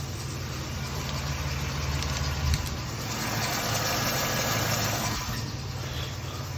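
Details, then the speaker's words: Jeep Liberty after repairing exhaust leaks (rear exhaust replaced), idling and revved: steady even idle with no exhaust puffing or ticking, only occasional faint belt squeak. Exhaust sealed, normal idle. "just some belt issues squeak in a little bit a little whatever but there's no exhaust leak you can rev it no exhaust leak"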